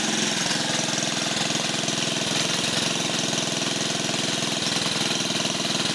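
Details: 1950 REO small engine, no parts available, just started after the choke found up and the air cleaner removed: steady, even putting beat with a crisp exhaust note and no misses or stumbles; running cleanly.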